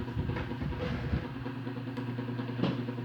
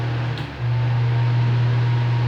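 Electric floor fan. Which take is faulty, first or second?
first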